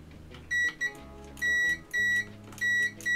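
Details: Nivona NICR 788 coffee machine with error 8, brewing-unit gearbox microswitch tested on a multimeter continuity setting; clean high beeps in short pairs at each press show the microswitch closes and conducts properly.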